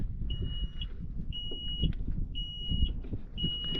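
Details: John Deere 310G backhoe stuck in park, switch turned off after park brake on test while testing relay power (12 V present): four steady high half-second beeps about once a second over low engine rumble; park brake warning sounding.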